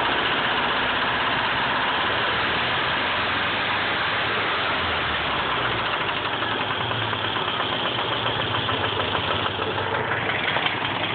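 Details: Nissan KA24 four-cylinder at rough idle with an uneven knock about three per second; owner unsure whether rod knock, timing chain or lifter, bottom-end or valvetrain source unclear.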